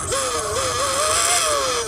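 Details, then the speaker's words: RC car after a crash while attempting a backflip: high wavering whine rising and falling with motor speed over a gritty rattle; the pinion gear has come loose, with only the body panels otherwise damaged. "piggy gear came loose so so nothing broke except for the body panels"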